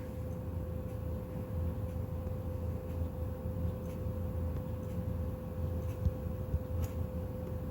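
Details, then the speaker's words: PlayStation 2 SCPH-30001 before laser replacement: quiet hum with scattered sharp ticks and clicks as the drive keeps seeking without settling, then a disc read error; owner suspects a bad laser and will replace it. "yeah that's great error I said once again it says do not read discs it's not reading discs"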